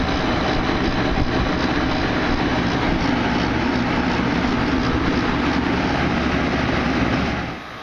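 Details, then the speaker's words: Air conditioner condenser after service: a new capacitor and a bunch of burnt wires redone. Fan and compressor hum steadily without knocks or rattles, then wind down; running normally. "it's obviously you can see it's running new capacitor redid a bunch of burnt wires"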